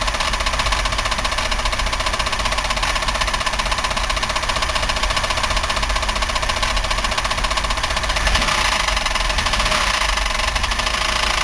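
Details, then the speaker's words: 1990 Buick LeSabre 3800 at idle with the front valve cover off: loud steady knock about four per second; bearing, lifter or rod suspected, engine considered trashed. "Okay, I'm going to try starting the car without the valve covers. See if I can tell where that terrible racket's coming from."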